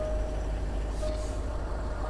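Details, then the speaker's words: 2010 Range Rover Vogue facelift, 4.4 L twin-turbo diesel V8, long-stored auction car sold as non-running, idling after it randomly started: a steady, low diesel rumble with a faint constant tone and no knocks or misses. It sounds absolutely fine, a normal idle. "What on earth? What on earth? It sounds absolutely fine."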